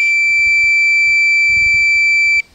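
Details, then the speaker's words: Minelab Pro-Find 40 pinpointer lost-unit alarm: one shrill steady high beep of about two and a half seconds, then silence, repeating rather than continuous, as heard if left switched on lying on the ground. "this is what you would hear in the wild if you lost it with it on okay and you left it laying on the ground so it's not a continuous beak okay"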